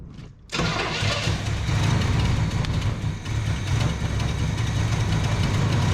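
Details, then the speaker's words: 1973 big-block Chevrolet C10 that sat for a year or more, running after more timing is taken out: catches and settles into an uneven, lumpy, stumbling idle, like running on about four cylinders; misfire with the ignition timing still off. "We got her now. I mean, she sounded like she was running on about four cylinders, but hell, she was running."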